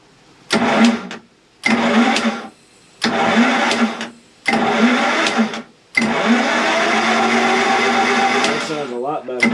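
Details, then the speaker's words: Two-cylinder Kohler generator on a 1992 Sea Ray 38 SS, unrun for years, started from the onboard start panel: starter grinds it over in repeated bursts of about a second without catching; it has no fuel, so starter fluid is used. "spark plugs are in starter fluid it doesn't have any fuel yeah okay go ahead fire it up"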